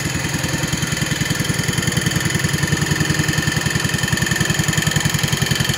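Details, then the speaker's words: 1970 140 H3 single-cylinder engine, leaking oil underneath, running with two-stroke mix in it: steady idle with an extra rough rattly vibration; owner first guessed a rear bearing, then ruled it out, suspects bad gas or two-stroke fuel. "runs pretty good I'm guessing that noise I'm hearing is coming from the bearing back here"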